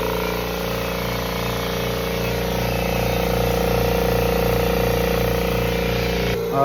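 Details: Kobalt 26-gallon Quiet Tech compressor after replacing its loudly hissing regulator: constant low motor hum with a regular pumping pulse and no escaping-air hiss while charging the tank; runs normally.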